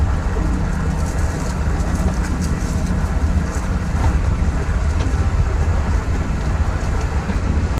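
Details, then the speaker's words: Truck driving after greasing passenger-side torsion key pocket to fix suspension squeak: steady road rumble, no creak over bumps, only loose junk rattling in the bed; front suspension now quiet, squeak fixed. "Alright guys, that fixed it. As you can see from that little bit of footage, there is some stuff rattling around. There is a bunch of junk in the back of the bed of my truck, so you can kind of hear it smacking around as it's riding there."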